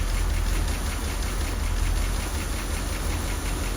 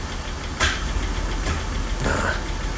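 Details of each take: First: Rolls-Royce Corniche convertible V8 after replacing crumbling ignition leads. It misfired until two swapped B-bank leads were corrected to the proper firing order. Now an even, low idle burble with a brief rev blip and no stumbles. Normal idle. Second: Rolls-Royce Corniche V8 after an ignition lead replacement: a lumpy, uneven idle with stumbling beats, a misfire caused by two leads swapped on one bank.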